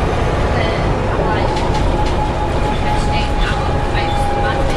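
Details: Arriva Yorkshire Alexander ALX400 bus 665 (W665 CWX), on board service 410 Leeds to Stourton: steady mid-pitched howl over diesel drone and road rumble while driving; strange howling noise, source unidentified.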